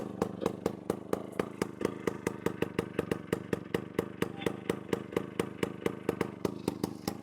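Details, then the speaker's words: 1998 Bajaj Chetak scooter, silencer completely rusted and shaking once started: sharp loud exhaust cracks about five a second over a slow uneven idle, frighteningly loud; loud exhaust from rusted silencer. "गाडी सुरू झाली की असा आवाज होतोय ना, भयानक असा. मला थोडीशी भीती वाटते आता इकडनं जाताना की पोलीस नाही भेटले पाहिजेत."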